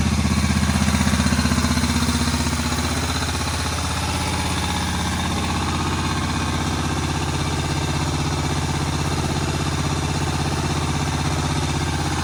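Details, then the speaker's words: Old Moto Guzzi single, first start after about 40 years following head work, slightly smoky: steady, even beat about four pulses a second, no knocks or misses, settled idle. Normal healthy idle. "And I'll tell you what, that engine doesn't sound too bad. Smoky a bit, it's understandable."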